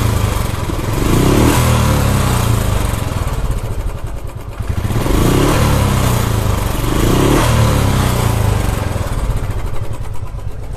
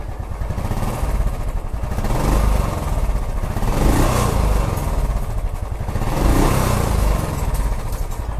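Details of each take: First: Royal Enfield Classic 350 revving up and down with ragged uneven beat and harsh cracked-sounding clatter; top-end noise, hydraulic part suspected as cause, not confirmed. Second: Royal Enfield Classic 350 after new valves and rings, which replaced a knocking on pickup, plus a new rear caliper piston and O-ring: even, steady single-cylinder thump swelling with revs, no knocking; normal idle.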